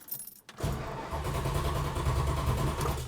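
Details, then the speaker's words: 1971 Plymouth Hemi Cuda with open-circuit carburetors, sitting unused and with a somewhat weak battery. The starter churns at a steady quick rate without catching; extended cranking because modern fuel evaporates and leaves the carburetors bone dry. "see the modern fuels all evaporate out of these open circuit carburetor systems so every time you go to start it it's completely bone dry"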